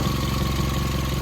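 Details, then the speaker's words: Believed 2018 Chevrolet Malibu idling on a cold day (20s °F), heat shield removed from the manifold/converter assembly: a quick, even puffing tick in time with the firing pulses points to an exhaust manifold leak. "all right I got that heat shield off of this manifold slash converter assembly and it's definitely right there somewhere I can hear it"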